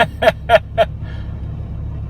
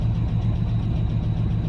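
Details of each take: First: Dodge Ram V10, 313,000 km, cold start at -37 after Sea Foam and warmed synthetic oil, fuel pump leaking back: cranking clicks then steady smooth idle with no top-end tick, oil pressure now reaching. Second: Dodge Ram V10 cold start at -37 after sitting two days, running regular 10W-30 with Lucas oil stabilizer, oil pressure not coming up: fast, even ticking over a rough cold idle; lifter tick from low oil pressure with oil too thick.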